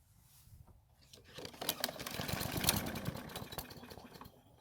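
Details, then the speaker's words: Mower that won't start, engine manually primed with oil and some gasoline in the carb: catches, runs unevenly about two seconds, then dies; stalling suspected from a clogged carburettor jet or the fuel itself. "so luckily it started and ran which is great news however since it did not stay running it means there's something wrong with part of the fuel system that means either the fuel jet inside the carb might be clogged and not allowing any fuel to pass through it or it could be the fuel itself that's the problem"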